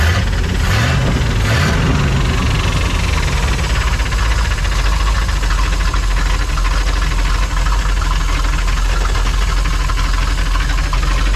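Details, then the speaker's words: Old truck parked since about 2007 for making noise, first start after sitting: loud low idle with a rapid, persistent internal knock tracking the engine beat; engine knock, cause not yet known. "Parked it because it was making noise, so they put this stuff in the truck so I don't lose it."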